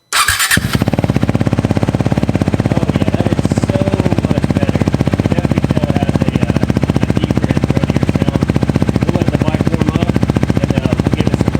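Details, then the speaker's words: KTM Duke 390 true cold start right after fitting a Pro-Race shorty exhaust: it fires after a brief crank and settles into a quick, even thump with some pops; the owner suspects lean running and plans to add a FuelX. "man i absolutely love the way that sounds um it's actually got some pops to it now so it's probably time we throw on the the fuel x we can add some more fuel to it so it's not leaning out any"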